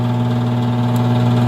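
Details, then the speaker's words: Furnace blower motor with a failed capacitor, running after being pushed by hand with a stick: steady low electrical hum with a firm even drone; the bad capacitor won't start it alone and needs replacing. "That capacitor's your problem. It's $12. Go get one come Monday."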